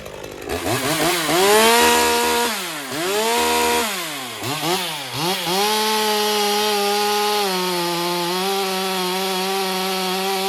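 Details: Stihl MS201TC-M (M-Tronic climbing saw), low hours, after repair of a sneaky M-Tronic no-start issue: revs up crisply several times, then holds a clean, steady high pitch at full throttle while cutting, so it runs healthy.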